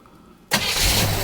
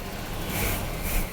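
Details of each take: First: 1976 Chevrolet Nova Concours, stored in a garage about 35 years, started from the driver's seat: brief quiet, then it catches at once and settles into a steady, even idle; a clean start. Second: 1976 Chevrolet Nova V8, 35-year garage find, first start with starting fluid: after a short crank it fires into a thin, uneven patter around four beats a second and won't idle; owners suspect carburetor accelerator pump or choke issue.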